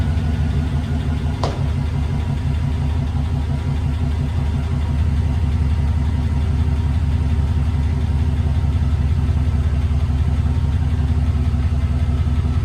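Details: 1999 Chevy Silverado 2500, replacement used 6.0L LS V8 (180k miles, swapped for failed 250k engine), first start after install: deep, steady idle with even low pulse, no knocks or ticks, no leaks; normal idle.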